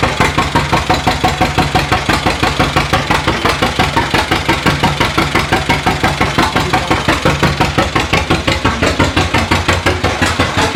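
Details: 1936 John Deere A two-cylinder, mostly new engine, first run in decades after timing fixes, hand-cranked, warming with residual oil burning off; slow even popping about 170 beats a minute, strong, no misses; normal running.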